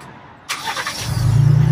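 Starter whirr, then the engine catches and settles into a deep, steady low rumble with no speaker-generated engine noise; normal start.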